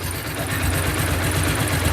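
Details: Bajaj Pulsar 2009 model single-cylinder motorcycle idling stone cold, microphone held close to the engine: quick even ticking keeping pace with engine speed; loose valve clearance, tappets need adjusting.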